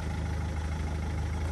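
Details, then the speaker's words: Rover 75 diesel after DIY crank pulley replacement and belt refit with automatic tensioner: steady even low diesel rumble at idle, no knocks, ticks or belt squeal; sounds normal, owner slightly dubious. "does that sound normal to you to me it sounds normal migrate I don't know I'm a bit dubious because I did it but yeah sounds alright"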